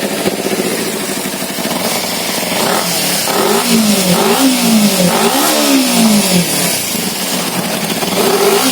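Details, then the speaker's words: Kawasaki Z250 fuel-injected with heavy black exhaust smoke and no malfunction light: revs rise and fall unevenly, stumbling at low rpm and nearly dying, sometimes hanging at 3,000-3,500 rpm; rich-mixture misfire. "suaranya kelihatan enggak ya ini asapnya hitam banget kelihatan ya hitam ya jadi Bo gitu mau mati"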